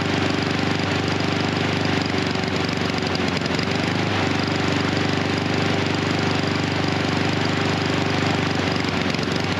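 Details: Husqvarna HU 700F mower with choke that stays choked after the lever is pulled. The engine runs unevenly with a stumbling, hunting beat around three and a half per second, running rich and rough from the stuck-on choke.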